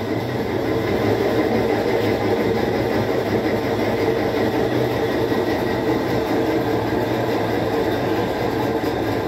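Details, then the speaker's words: Whirlpool 17 kg washer that fills then stops washing, run in automatic test mode: the actuator shifts the agitator motion, then the spin runs with a steady, even whir and no knocking or scraping; normal spin. "ahí escuchamos un ruido y es lo que está haciendo el cambio es una pieza que se llama actuador que cambia el movimiento de la agitadora latina y como pueden ver ahí está exprimiendo"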